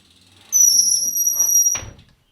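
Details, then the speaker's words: BMX bike rim brakes give a loud, piercing high-pitched squeal for about a second and a half, ending in a scuff, before a zip-tie fix. "you ever had a set of brakes that squeak really loud and annoying well today I'm gonna show you a trick that I've learned over the years so your brakes never squeak again"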